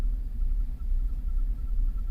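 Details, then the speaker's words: 2005 Cadillac Escalade 6.0L 4x4, running after a crank-no-start. The idle is deep and lopey, swelling and sagging unevenly. The bank 1 sensor 1 oxygen sensor is dead at 0 V, and the engine is likely not in closed loop; this is suspected as the cause. "That might be why it's idling a little lopey too right now."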